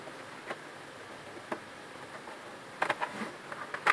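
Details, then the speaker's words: HP LaserJet M402 printer with quiet, sparse sharp ticks and quick double clicks over a soft hum; a small dislodged spring let the gears catch on each other, and refitting it ended the noise. Gear clicking. "ये तो सिर्फ उसे एक छोटे स्प्रिंग के निकलने की वजह से इसके ये आवाज़ दे रहा था और उसके गियर आपस में फंस रहे, टिक टिक टिक टिक जो है आवाज़ दे रहा था।"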